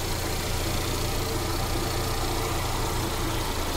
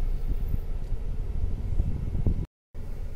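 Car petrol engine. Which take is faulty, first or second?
first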